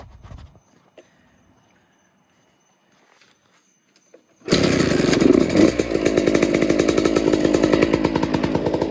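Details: 2008 Suzuki RM125 two-stroke after rebuild (new gaskets, crank seals, bearings, piston) for a bad crank bearing, leaking seals and poor midrange running; first test start: quiet, then fires into a crisp, even idle with steady popping, no knocks or rattles.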